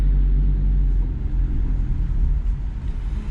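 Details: Vauxhall Corsa C after replacing both outer CV joints and a ball joint: creeping on full steering lock in reverse and forward gives only a low, steady rumble with no clicking; CV joints now normal.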